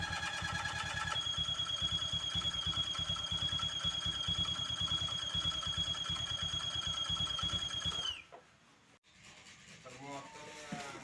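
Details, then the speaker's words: Vario 150 scooter at idle: a steady high squeal pulsing about twice a second, "ngik ngik", rides over the engine until shutdown; cause found at the water pump, never opened before, a mechanical seal squeal. "Oke Guys ini yang tadi Vario kalau posisi mesin idle bunyi ngik ngik ngik ngik ngik ya kayak kembang kempis Nah di sini ternyata permasalahannya itu benar dari bagian sini dari bagian yang namanya water pump ya"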